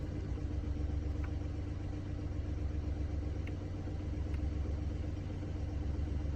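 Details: Mini Cooper D three-cylinder diesel, lumpy idle with low uneven rattle under the beat; mechanic diagnosed broken, worn dual mass flywheel carrying clutch springs; juddering after clutch lift reported.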